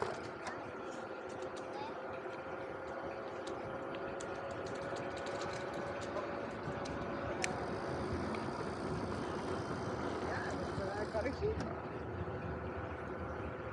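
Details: VanMoof S5 e-bike test ride in Amsterdam: under tyre and road rumble a faint steady high hum rising evenly with speed, normal quiet hub motor sound.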